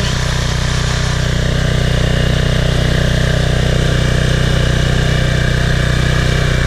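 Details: PowerFlow+ pressure washer, Briggs & Stratton 190cc engine, after carburetor cleaning of clogged bowl-screw jet and dried gas: tight even drone about four beats a second, no misses or surging; running healthy.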